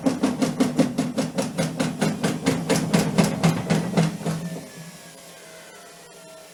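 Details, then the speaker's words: Amica washing machine (model WST10LH) during high-speed spin: heavy rhythmic thumps about twice a second as the tub bangs the cabinet and the machine becomes unstable, then fading; cause is a failed left shock absorber, to be replaced. "tak jak widać kilka bardzo hałasuje widać tendencję do niestabilności jest z nią nie tak powodem takiego zachowania jest uszkodzony amortyzator po lewej stronie"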